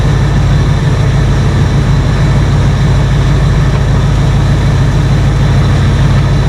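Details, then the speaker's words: 1968 Ford F100 revived after 12 years, with a new cheap carburetor whose intake base gasket leaks badly: loud, steady V8 hum held well above normal idle. High idle, suspected from the choke's fast-idle step. "we'll fire it up and see if it runs any better but it's just idling way too high"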